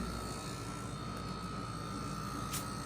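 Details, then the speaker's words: Portable heat pump on first startup at maximum heat: loud steady hum with a constant high whine on top; compressor very loud, airflow seems not limited, may be normal. "might be normal. I don't think the airflow is limited. I think pressure is really loud."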